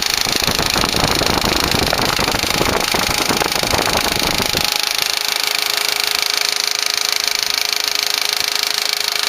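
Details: 2004 VW Passat 1.8T GLS: rapid, fairly even ticking over the running engine that then fades to a faint hum; intermittent, worse at startup, from the rear of the engine area; some suspect a lifter, unconfirmed.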